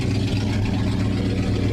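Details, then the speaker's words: 1969 Dodge Dart V8 revived after sitting, now warm with the thermostat open. The lifters have quieted, leaving a steady, even idle with a smooth low rumble and no ticks or misses. The points may be burning and it is still smoky. "Well, the lifters have quieted down. That's good. The thermostat open."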